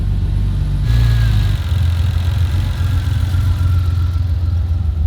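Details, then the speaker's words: Turbo Ford Fairlane first start on a new Haltech ECU: low uneven idle rises then sags, not holding the wanted 600-700 rpm; idle control not working, stepper motor suspected, unconfirmed. "Yeah, but the idle control isn't working. Yeah, so it's probably just the stepper motor or whatever."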